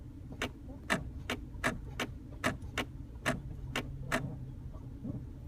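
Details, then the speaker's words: 2010 Chrysler 300, parked, brake pedal depressed: crisp light clicks about two a second from under the center console, with a faint low hum; new noise, filmed on a rainy day. "now this is new as of today I'm hearing this clicking in the center console right here"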